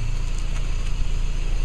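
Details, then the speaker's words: 2000 Toyota Echo test drive after a first-time DIY front brake pad replacement, slow stop: only low road and engine rumble, with no squeal, squeak or grinding. The brakes sound healthy. "those sound bee-utiful oh my goodness no squeaking and squealing that sounds beautiful"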